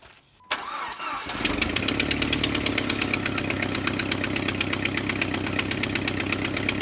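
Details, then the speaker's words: Jeep Wrangler TJ on a cold start with an untackled timing chain issue: fast sharp ticking keeping pace with idle over the engine hum; exhaust manifold leak at the back corner. "what you're hearing is that a dog manifold way at the back is blowing by on the back end"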